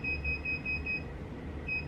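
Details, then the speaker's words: Sur Ron Light Bee MX electric motorbike on a stand with KO Factory Spec controller after firmware update: two long high beeps at power-on with throttle held fully open, entering throttle calibration mode; calibration then fails to complete. "And then I'm gonna, what they said to do is to twist the throttle all the way and turn the bike on. You'd hear 2 beeps, okay?"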